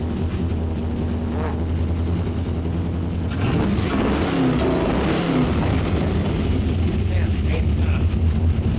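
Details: 1959 Chevy Apache pickup with LS3 V8, first key start after full custom rewiring, turbos not hooked up, fuel pressure just adjusted: low even V8 burble holding steady with a brief blip, no knocking or missing; normal running.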